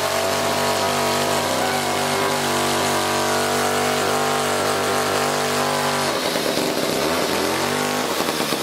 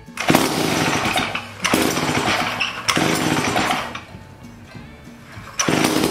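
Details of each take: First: 1956 Eclipse Wasp chainsaw, two-stroke, after the reed block was fixed and the carburettor fine-tuned. A steady buzzing idle settles into crisp, even two-stroke chatter with no misses or surging; running normally. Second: 1956 Eclipse Wasp chainsaw just reassembled after carburetor cleaning: loud, fast buzzing run that surges and sags in waves instead of settling; idle set too high, possibly also running out of fuel at the high-speed setting.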